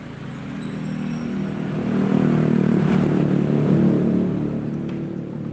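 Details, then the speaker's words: Yamaha Vixion after repair, which previously had hard starting and a weak starter: it settles into a steady, even, low idle with no knocks or misses; normal idle. "Hai untuk Vixion ini sudah seperti Vixion Ya udah stasioner lari Oda ok"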